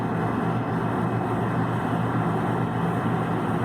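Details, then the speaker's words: Dehumidifier on a single-pole breaker: steady low electrical hum while the compressor draws about 35 amps and never starts, voltage dropping from 123 to 121; locked compressor. "123 and goes down to 121 so the bues does drop for a second lasts for a couple seconds and comes back out so we're having an issue with the compressor"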